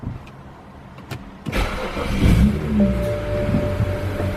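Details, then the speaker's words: 2008 BMW 335i E90, warmed up and idling steadily, warm restart after replacing the EKPM2 fuel pump control module with an EKPM3: short crank catches at once and settles into a smooth, steady idle with no stumble; healthy start. "start as well so yeah sounds healthy actually sounds like a good what I would expect for a proper cold start or proper warm restart"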